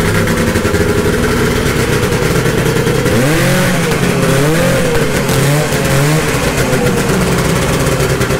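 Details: 1972 Ski-Doo Nordic 440 snowmobile, fully rebuilt engine, carburetor preliminarily adjusted, after a cold start: crisp two-stroke buzz climbing and falling smoothly with throttle, no misses or knocks; engine pulling cleanly and healthy.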